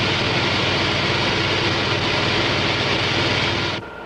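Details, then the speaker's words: Model propeller at constant rpm and low ambient pressure: loud, steady hissing crackle from cavitation on blade faces and tip vortices, falling away sharply as pressure is raised and cavitation is suppressed. "notice the cavitation on the blade faces as well as in the tip [Music] cortices"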